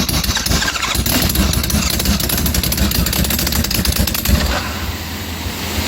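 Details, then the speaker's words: Homemade supercharged, fuel-injected Kawasaki Z1000 with twenty-year-old aftermarket ECU, cold start, throttle held slightly open: ragged, stumbling running settling lower; rough running, smells very rich, roughly 20% extra fuel suspected at 12° timing. "smells very fuel Rich yeah maybe I put too much into it we don't know"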